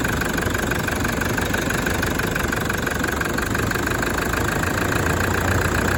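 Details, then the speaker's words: 1KD-FTV diesel just after a full new injector kit, first start: steady, even idle clatter with no misses, knocks or surging, briefly loaded as it was put straight into reverse, then neutral; normal healthy idle. "that's what it sounds like right and uh the only reason it sounded like it was under load is because straight away it went into reverse to get reversed out so we don't fill the workshop with uh diesel fumes"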